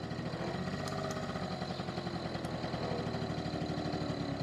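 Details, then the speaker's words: Honda NU50 Runaway (Urban Express) 50cc two-stroke scooter: fast even putter at steady idle with no stumbling or misfires; smooth idle, though it reportedly cuts out once the automatic choke disengages. "I say everything so smooth, the engine."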